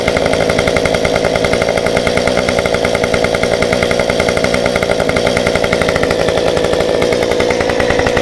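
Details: Stihl 193T climbing saw with muffler mod, about 8–9° timing advance, limiters removed, 93 non-ethanol fuel, hot restart after 5 minutes off: catches quickly, settles into steady even crisp buzz, no stumbling; healthy.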